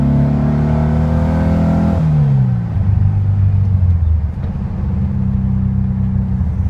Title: VW bug hesitating and misfire